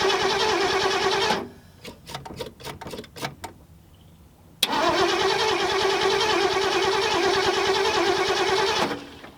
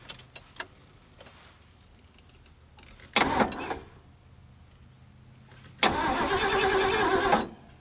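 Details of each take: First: 1974 Ford Galaxie 500 that sat from 1992 and survived a tornado, cranked on a jug-fed fuel hose: two spells of steady cranking, about three beats a second, never firing; crank no-start, number one plug about to be checked for spark. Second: 1974 Ford Galaxie 500 that sat two decades and survived a tornado, first crank with a screwdriver in the ignition: two short bursts of steady, even starter churning with no dragging, clicking or grinding; the V8 spins over healthily.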